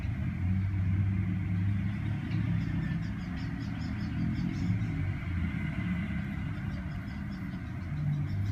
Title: misfire 5 สูบ สตาร์ทสองรอบไม่เป็น